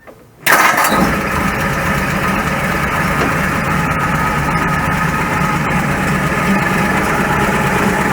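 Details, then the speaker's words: 1941 Ford pickup in neutral, fan belt off so water pump and generator are not driven, transmission cover removed: catches cleanly, even steady idle with no knocks, some open drivetrain noise; the racket is gone, pointing to the belt-driven accessories. "Okay, that sounds alright, doesn't it? So that would appear to indicate then that it's something to do with the generator."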